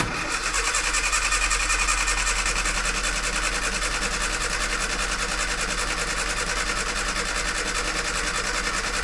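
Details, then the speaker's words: 998cc Mini Clubman started for the first time in years after the fuel was cleaned out and the float chamber refilled: it comes alive on choke and ticks over with a smooth, even four-cylinder idle. "No way. It's alive. There we go."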